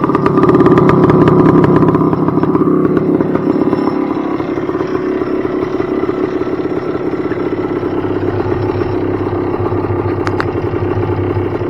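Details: 1978 Yamaha IT250 two-stroke dirt bike, stock, 2084 miles/152 hours, cold start on choke with brand new fuel (float sticking a bit): catches and settles into a fast, even crackling idle without misfires; healthy cold start.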